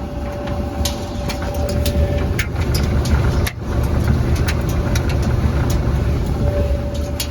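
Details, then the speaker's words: Five-year-old Whirlpool Cabrio dryer after idler pulley replacement, running with laundry: steady low drum rumble with soft irregular thumps of tumbling clothes and no squeal or grinding; normal operation, the old idler pulley bearing had failed. "Okay, I just started the dryer with the new pulley in place, and listen, nothing to hear. It's quiet. There's laundry in it running, and all you hear is the laundry."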